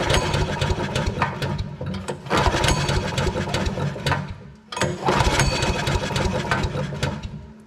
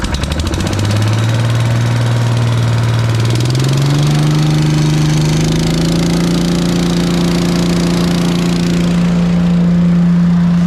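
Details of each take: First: Briggs & Stratton engine on an Agri Fab Mow & Vac leaf vacuum, compression test after valve adjustment, pulled over: slow uneven chuff with little push per stroke, only about 20 psi; low compression, possibly a broken ring (suspected). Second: Briggs & Stratton single-cylinder engine on an Agri Fab Mow & Vac leaf vacuum, after carburetor and fuel system work, with the hose attached: fires, climbs in two steps to a steady high hum and holds speed evenly; runs healthy.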